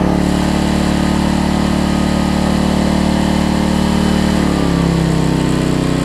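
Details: Homelite LR4400 generator after governor readjustment, having earlier raced and dropped rpm: it holds a steady, even drone without surging or sagging, then settles into a slightly different tone; the governor is holding speed properly.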